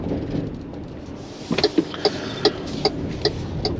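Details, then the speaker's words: Maxus e-Deliver 7 L2H1 electric van, single 150 hp front motor, driving from smooth onto rougher cobblestones: sharp irregular clacks over road rumble as rear cargo-area plastic rattles; quieter, about 65 dB in-cab, on smoother cobbles. "jest naprawdę dosyć dosyć głośno więc tutaj nie jest jakoś super cicho"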